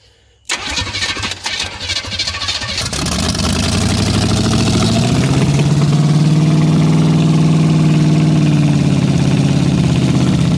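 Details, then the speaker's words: 1976 Chevy Chevelle Laguna 305 V8 with side pipes, first start: starter cranks a couple of seconds, engine catches into loud steady open-pipe idle, no major knocking heard; oil pressure unknown as gauge not working; sounds healthy. "as far as I could tell I didn't hear any major knocking or anything"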